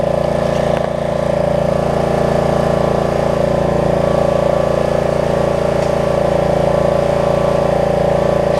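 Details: Snapper rear-engine rider mower repaired after bad gas, started on the second pull: smooth, even single-cylinder beat at steady speed with no misses, knocks or surging; normal running.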